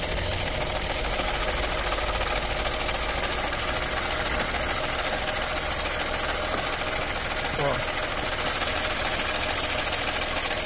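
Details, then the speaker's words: 2023 Chevrolet Onix at idle, Helper-brand clutch fitted under 3 months ago: light quick rattle, about three or four a second, changing as clutch pedal is pressed and released; faulty clutch, cured by swapping to original clutch. "Só que daí agora começou um barulho mais alto que ele tá percebendo. Esse barulhinho aqui, ó."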